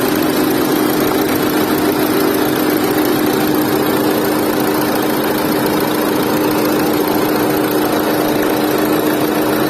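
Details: Renault Duster with heavy engine noise: steady idle with a constant droning hum and a strong mid-pitched tone throughout, sounding rough and loud; cause unclear.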